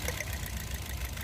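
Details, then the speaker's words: Toyota Vios 2nd gen with misfire and heavy vibration: rough, lumpy idle with uneven low thumps and shake as one cylinder drops out; number-four ignition coil gives no spark while coils 1–3 spark. "So ngayon ay ang pinagdududahan natin ay yung pangapat na ignition coil yan walang reakson kapagka binubunot natin"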